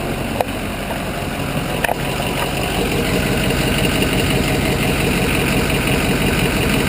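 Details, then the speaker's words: Ford Super Duty idling: rushing hiss rises as a vacuum hose held at the microphone runs along the exhaust. Exhaust leak found at the right-hand inlet pipe to Y-pipe joint, with small leaks at both manifolds. "Okay, if you notice that air noise change, that was the vacuum hose picking up the exhaust leak."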